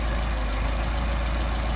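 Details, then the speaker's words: Mercedes 190SL with freshly rebuilt Solex carburetors, idle raised back to about 700 rpm before idle mixture screw adjustment: steady, even low idle with no knocks, stumbles or hunting; carbs balanced, good idle. "7.5. Alright, so there's a good idle."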